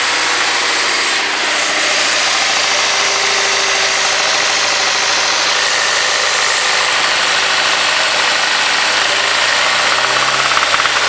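Steady idle with a hard, even tapping riding over the engine note, a knock from the bottom end that wants checking. Cause suspected, not confirmed.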